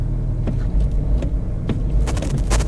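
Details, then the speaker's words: 2009 Range Rover Sport HSE, frosty cold start after first failing to start: deep uneven rumble with irregular thumps, barely running, lumpy rough idle, followed by heavy exhaust smoke. "oh we got life not much of it to be honest but we do have a little bit of life"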